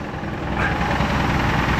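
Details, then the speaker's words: 1986 Jeep CJ7, 4-speed, cold start on choke on a chilly day: faint, dull tapping under the exhaust rumble at idle. A broken front exhaust stud was seen. Lifter first suspected, then a light rod knock; not confirmed. "nope. That sounds like a little rod knock. But that's funny. My brother used to have a Cherokee, and his did the same darn thing forever."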